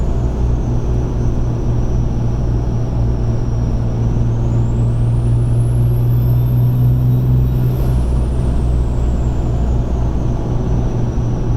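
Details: 2005 Ram 2500 5.9 Cummins with stock turbo and a 5" RPI intake without silencer ring: above about 20 psi the turbo whistle becomes a supercharger-like whine that climbs, holds and falls; no shaft play, no oil leaks, spins freely.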